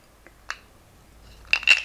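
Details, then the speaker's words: Mitakon Zhongyi Speedmaster 25mm f0.95 lens on Micro Four Thirds: a few glassy clinks and then a cluster of rattles when the lens is moved. A loose internal part that also disturbs focus under hand pressure. "far the largest worry where build quality is concerned though isn't the fact that it rattles I don't know if you can hear that now"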